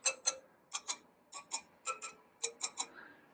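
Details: 2018 BMW R1200GS at 500 miles, rear wheel: paired sharp metallic taps spoke by spoke, some ringing clearly and others duller; almost all spokes found loose despite a dealer check.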